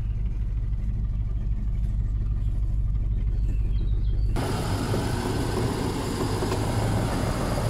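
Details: Range Rover P38 4.6 V8 running with a dull, irregular knock about three a second under a low rumble, with power loss, misfire and oil turning charcoal within months; owner suspects big-end bearings or piston rings.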